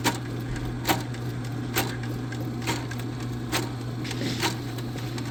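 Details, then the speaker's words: Powered drain snake clearing a clogged line, possibly roots, with a spade bit: steady motor hum with a sharp slap about once a second as the cable whips, a sign to check that the coils aren't wrapping. "When you hear that really hard slap, always check your coils to make sure they're not wrapping."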